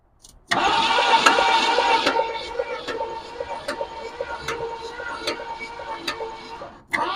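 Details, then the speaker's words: 1965 Ford Thunderbird long parked by the ocean, cranking on the starter without firing: uneven, lopsided cranking beats. There is zero compression on the front cylinder and little on that whole side. The owner suspects stuck rings. "okay little to no compression on that whole side could just be that the Rings are all stuck but she turns over so that's the start"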